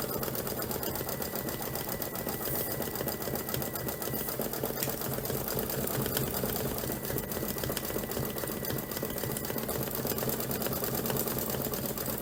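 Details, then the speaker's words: Embroidery machine stitching; fast even chatter about three to four strokes a second, no knock or drag; normal stitching. "Yeah, I can see a nice, it sounds much better. To me, to my ear, it sounds much better."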